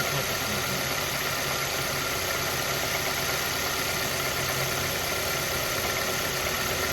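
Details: Mazda Verisa: steady idle with fast light tapping riding over the hum, even and constant at idle speed; engine knock of unknown cause.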